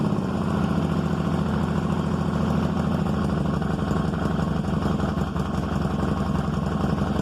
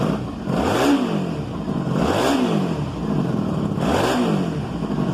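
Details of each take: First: 1995 Honda Magna 750 V4 restarted after carb rebuild and new spark plugs, already warmed up: a steady idle with a fast, uneven puffing tick on the exhaust note from a small exhaust leak. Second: 1995 Honda Magna 750 restarted warm without choke after a carb rebuild and new plugs replacing fouled ones: three crisp throttle blips that settle to a smooth idle. It runs healthy, with a slight exhaust leak noted.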